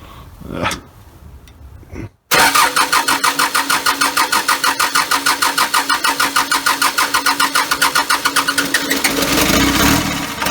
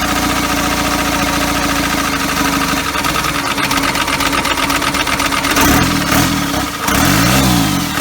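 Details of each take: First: First start of a freshly built engine, cold, low idle, extra fuel needed: cranks, catches after a brief pause and settles into a steady even beat of about three pulses a second, running cleanly. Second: First start of a first-ever diesel engine build on custom motor mounts, at night, needing extra fuel: catches and settles into a slow, lumpy, labouring idle; idle speed way too low.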